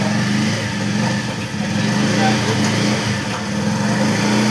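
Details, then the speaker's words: Bajaj Pulsar 125 BS6 that stalled whenever put into gear, after the fix: started on the self-starter, clutch pulled and second gear engaged, with an even, steady engine note and no stumbling or cutting out. Runs normally in gear. "Clutch ले लिया, second gear को डाला, अभी bike चल रहा है। अब gear डालते ही कोई दिक्कत नहीं,"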